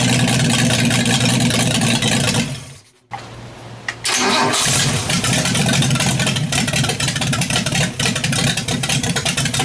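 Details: Built 200 engine with a stock unmodified cylinder head swapped in, timing reset to about 10° initial, vacuum advance disconnected, pulling about 10 inHg: now idles but slightly lopey and fluttery; owner suspects the valves need readjusting and the timing needs fine-tuning.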